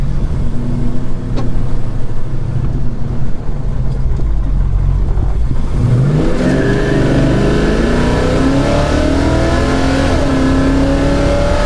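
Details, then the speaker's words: '69 Dodge Charger big-block V8, lambda reading under 14, slightly rich; deep roar climbs smoothly through gears under full throttle without stumbling; now pulls strongly past 4000 rpm, normal. "Maar ja! Het is gewoon een andere auto gast!"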